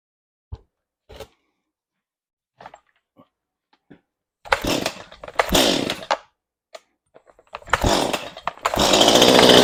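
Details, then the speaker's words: Chainsaw, hard to start, needs trigger held while pulling: a few pulls, then short ragged bursts that rise and die each time the trigger is squeezed; starts and idles but stalls on throttle, owner suspects dirt in the carburetor. "And it would start and idle, but as soon as you give it the gas, you know, squeeze the trigger on it, it just kill it. Now, I would say most likely there's probably a little bit of dirt inside this carburetor that's causing the issue."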